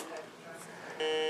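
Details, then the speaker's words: Heathkit GD1190 metal detector that once worked then quit: a steady electronic buzz comes on and stays the same in discriminate, normal and total modes; abnormal constant buzzing. "As you can hear, flight control brings it up, and no matter what position I put the control on, discriminate, normal, total, it makes no difference. So as far as I can tell, the buzzing definitely ain't normal."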